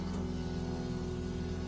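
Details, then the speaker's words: Ford Econoline van's two-year-old Delphi fuel pump module, bench-powered at 14.8 V (10 A limit) and drawing about 6 A, hums steadily with a faint whine but builds no pressure; van electrics ruled out, so the pump needs replacing. "And there's no pressure. And it has nothing to do with the electrical on the van."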